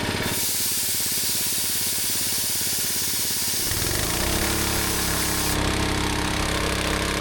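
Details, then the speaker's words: Rebuilt old gas-powered air compressor at full pressure: steady quick pump chuffing at about three beats per second over an even engine drone, settling as pressure builds; runs properly, with a slight leak heard while a valve is open. "So this is working exactly as it should now. You can hear a slightly leak."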